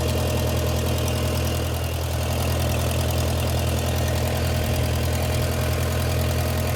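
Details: 1959 Case 300 tractor with an updraft carburetor, idling warm after the generator repair, now charging: steady, even low-pitched chug with a constant rhythm and no knocks or misses; healthy idle.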